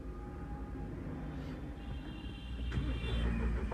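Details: Mahindra Bolero diesel after injector replacement and injector coding: even diesel clatter building steadily as revs rise, no knock or stumble; the earlier vibration/knocking problem is resolved and the engine runs normally.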